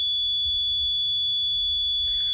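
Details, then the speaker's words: Vintage RCA tube audio generator after tube testing (all good), cleaning chassis sockets and pots, especially volume potentiometer: steady pure high sine tone at one pitch with faint low hum underneath; clean output, slightly louder after cleaning. "And now you can hear the tone coming from it, a sine wave."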